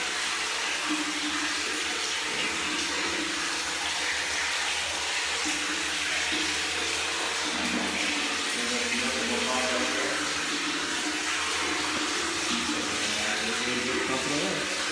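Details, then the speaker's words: Off-grid solar diaphragm pump after re-priming a waterlogged pump: steady rushing hiss of water pouring continuously with no sputter or air gulps; full flow, normal water delivery. "So that's pretty exciting and a lot less depressing, though. We actually have water still going, and we don't have to create another pumping solution."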